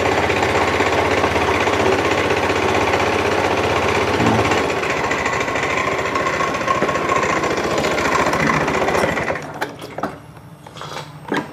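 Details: Fuel-injected small scooter brought in dead, running again after its spark plug cap was replaced: steady, even putter of about four beats a second before shutting off. Normal idle.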